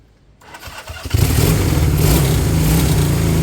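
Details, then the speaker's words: Honda CB200 twin after cleaning fuel tap, low fuel flow suspected cause of intermittent running: catches after a few cranks, settles into a fairly steady even idle with no misfire, perhaps set slightly low; running properly now. "but I gave the tap a clean the second fuel flow was was better idit yeah probably went a little bit too low huh right I want it to idle for a good 5 to 10 minutes"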